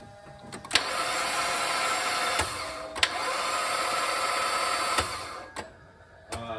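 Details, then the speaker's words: 2008 Mazda Miata with wet electronics, cranked on a jump box: sluggish, uneven whirring crank that never catches and stops and starts; weak starting power, probably from a failing jump box. "that sounds like that box is not too happy sitting again"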